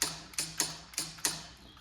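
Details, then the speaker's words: Toyota Caldina power window: sharp uneven clicks about twice a second with faint hum as the failing window motor clicks but won't move the window; wiring checked fine. "All the wires are fine, but you can hear the motor clicking."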